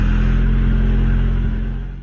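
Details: 1994 Honda Civic hatchback after ignition lock cylinder replacement for hard starting, started with second new key: engine catches and settles into a steady even low rumble with no knocks or misses; normal idle.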